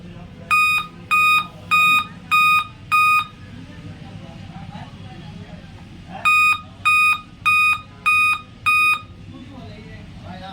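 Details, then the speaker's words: Dell Inspiron 3542 laptop at power-on: repeating groups of five sharp, high beeps with pauses between, the five-beep error pattern; battery removal and disassembly follow to find the cause. "तो देखते हैं इसमें कहां से ये आवाज आ रही है फाइव वेप की।"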